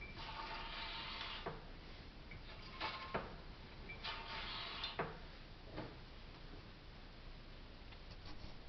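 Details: 2008 Mazda CX-9 lifted, both front wheels off, ignition on, steering swung left and right; rough scraping grinding bursts with sharp clicks, loudest at front left wheel where camera points.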